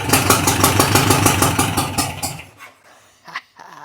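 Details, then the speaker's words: 1962 VW Beetle, sat over 20 years: runs briefly with a lumpy popping beat about three per second through exhaust leaks, then dies, still getting no fuel. "That thing sounds pretty tough with the exhaust leaks."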